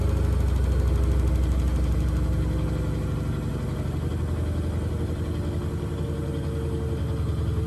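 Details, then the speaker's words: Blomberg RapidJET LWF194520QW 9 kg 1400 rpm washing machine on spin: steady low drone, even rhythm, no knocks or bangs; normal quiet spin (it sometimes knocks when out of balance). "whenever there is no knocking is quiet so it is it may start to go a bit lighter on the camera but it really is quiet so it is"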